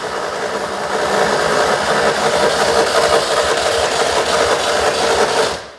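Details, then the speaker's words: 2CV-based Falcon S kit car abandoned 23 years, with battery booster and easy-start spray: quick, even cranking near three turns a second for five seconds, never picking up into a run; cranks but no start. "but no dice that was a bit different at the end there it's chugging away I think she is trying"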